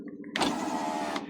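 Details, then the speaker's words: Driver-side power window motor whirs under a second then cuts out mid-travel; glass sticks going up and must be pushed upward to move, despite greased track; power window sticking. "kailangan mo siyang itulak pataas para umandar."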